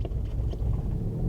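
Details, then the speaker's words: Square-body Chevy truck, slow to start, then rough surging idle: lumpy rumble wavers, RPM jumping around and bogging, clears up then gets bad again; suspected fuel system problem, cause unconfirmed. "Here it goes, running like crap again. Oh, it's running bad. Look at that RPM jumping around. Oh, it's bogging."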